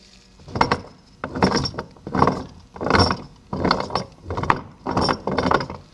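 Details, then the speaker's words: Old rear differential removed from a 2010 Saab 9-5 Aero, turned by hand with repeated strokes: rough, gritty grinding from worn internals; the replacement unit is silent. "And you can just hear that grinding."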